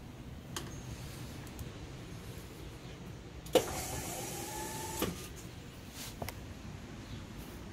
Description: If your golf cart makes this whirling noise and won't start up or has a delayed startup like mine. It's a lose Starter/Generator Belt.